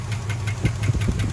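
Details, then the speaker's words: 1976 Dodge Dart 318 V8, fired up after long sitting and with a new battery: sharp, regular clacks about five or six a second over a rough idle, a loud top-end valvetrain clatter. A collapsed lifter is suspected. "we have noises that aren't super happy which this engine has never actually made any noise like that before"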